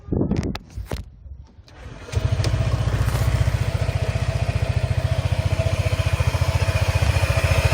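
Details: Honda PCX150 (KF30) scooter at 732 km from new: starts and settles to a quick, even idle with a faint dry whirr under the exhaust thump; worn drive pulley bearing, replaced under warranty.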